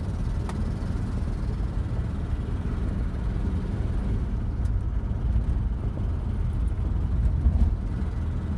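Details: 1986 Mazda B2000 SE-5 while driving: loud, rough, flat roar with a puffy low rumble over road noise; horrendous exhaust leak.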